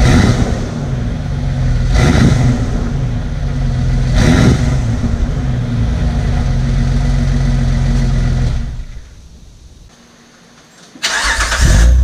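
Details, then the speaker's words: 2005 Jeep Wrangler Unlimited after installing a Magnaflow Off Road Pro Series cat-back exhaust (part 17121): deep, even exhaust rumble with two smooth rev blips settling to a steady idle, no rattles or leaks; normal idle. "everything sounds good no rattles no leaks"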